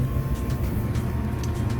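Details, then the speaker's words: 2008 GE Profile gas dryer DPGT650GHWW, 14 years old with original parts, running on air dry with no heat during yearly lint cleaning: low, even drum rumble with a faint steady blower hum, no knocking or scraping; healthy. "all right i'll start this baby on air dry no heat and we're moving"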